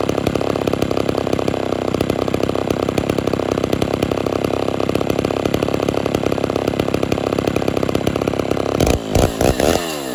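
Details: Homelite Super XL chainsaw, deliberately tuned a little rich with exhaust smoke and not yet cutting wood: a steady, even high-pitched two-stroke buzz at constant speed with no misses; normal running.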